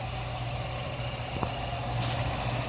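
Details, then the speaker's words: Nissan Altima 2.5L four-cylinder after replacing intake timing solenoid for codes P0011/P0300 (previously ran rough and stalled): even, steady low hum with no stumbles or shakes; normal smooth idle. "See how the engine is not vibrating? It's almost smooth. Like a Cadillac."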